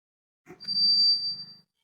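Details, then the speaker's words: Pedal sealer machine with cutting unit, timer set to 0.5: one short high beep over a brief low hum as the heater cuts off; normal end of the sealing cycle, then wait two seconds for a proper seal. "ನೋಡಿ press ಮಾಡಿದ ತಕ್ಷಣ beep sound ಬಂದು of ಆಗುತ್ತೆ"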